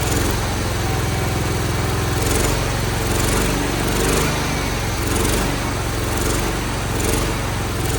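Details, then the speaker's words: Cub Cadet 1211 single-cylinder lawn tractor engine after starter drive repair and WD-40/oil down a thought-seized cylinder: runs steadily with slow gentle speed surge, no knock or clatter; runs normally. "The starter, I had to work on the drive a little bit, but we're gonna start it up. It's gonna be a smoker, but she does run."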